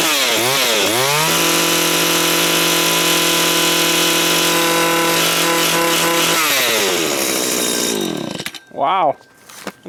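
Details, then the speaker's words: Stihl FS80 two-stroke weed trimmer, reassembled after being gutted and unused for about a year: crisp rev-ups to a steady high-pitched scream held cleanly, then smooth drops to idle; normal running. "okay wow sounds like it's still running crazy crazy crazy I don't know I don't get it and yep still running wow surprise"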